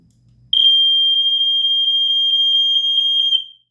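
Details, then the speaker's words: Stairway smoke alarm, believed to be a First Alert SA75RS, on test; loud, piercing continuous high tone for about three seconds, then a clean stop: test horn working properly. "That sound never gets old. There's the sound of my childhood."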